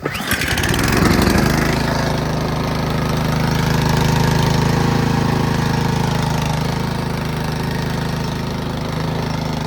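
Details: Toro 10/28 Power Max Heavy Duty snowblower with a 10HP 302cc Toro engine and 540 oil (530 recommended), started with choke and primer. A short pull fires it within a second into an even, steady single-cylinder idle with no misses: a healthy start.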